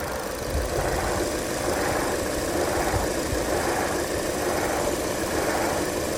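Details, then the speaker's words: 2011 Chevy Cruze petrol engine idling with the AC switched on; steady rough knocking rattle from the engine bay, attributed to a noisy AC compressor. "This is a 2011 Chevy Cruze. The AC compressor is making noise."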